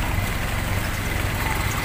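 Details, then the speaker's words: Toyota Kijang Super carburetted engine that ran rough and shaky despite a cleaned carburetor and new spark plugs, retested after a fix: low even thrum with a regular firing beat, no shake or skipping; normal idle, sounding different now. "Alhamdulillah suaranya beda"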